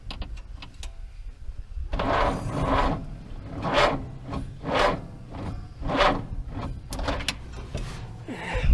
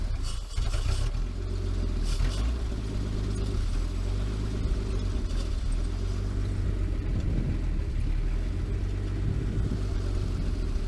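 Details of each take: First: 1949 Chrysler Windsor, sitting since the 1950s, sluggish uneven starter cranking with slow drawn-out compression beats about one a second, never catching; battery weak, reading 6.6 volts. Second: 1949 Chrysler Windsor sitting since the 1950s, with automatic choke, running after a wire fix: deep low rumble settling into steady even idle, no knocking or misfire; owner reckons it won't run without the choke.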